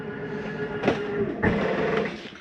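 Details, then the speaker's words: 2022 Catalina Legacy 343BHTS travel trailer slide-out bottoming out: two short strained motor bursts and a brief buzzing hold, the mechanism stopping itself, not grinding and harmless if held a second or two. Normal end-of-travel noise. "That is the slide mechanism telling itself not to come in any further. It's doing no harm to the slide for holding it in a second or two to make sure you're all the way in."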